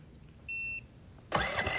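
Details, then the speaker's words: EcoFlow Smart Generator just fitted with a propane kit, restarted after an eco-mode idle and a stop to check it stays primed: a short beep, then it catches on the first try and settles straight into a steady run. It starts normally. "then we'll go ahead and fire it up and make sure that everything stays primed and the generator fires up like it should"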